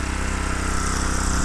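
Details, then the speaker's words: Homemade mini tractor with a 6.5 hp Harbor Freight Lifan single-cylinder engine, claimed non-running, started on one pull and off choke: quick, even low thump with no misses or knocks; normal running. "Whoa! It sounds good! Sounds really good. It's off choke."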